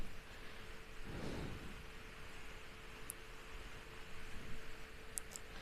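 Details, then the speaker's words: Household fan on speed 1, about 62 dB and 55.4 W, before cleaning and re-oiling: steady hum over a dull rumbling roar as the blades wobble; owner unsure whether bearings or imbalance, later finds a cracked blade. "So the end result is it's also making a lot of noise, and much noisier than otherwise. Or at least much noisier than the one I replaced it with."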